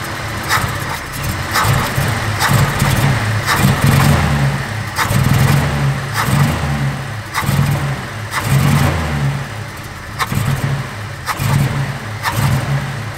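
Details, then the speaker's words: First-gen Cummins project truck, running a minute or two and slightly warm. On a snap to wide-open throttle it surges in repeated bursts about once a second, stumbling and bogging, nearly dying; easing into the throttle is fine. The owner is unsure whether the carburetor is at fault. "the accelerator at an initial flood of fuel if you will really just bolts that thing out and it doesn't like it now ease into the throttle it is fine"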